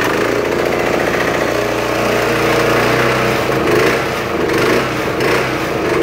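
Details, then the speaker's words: Kubota W50 heavy commercial-grade mower, found free and fixed with new starter dogs, started on choke: the small single-cylinder runs steadily with no misfire or surging, running really well, though it sometimes smokes briefly on start. "runs really really good kind of show you guys but this thing is extremely heavy"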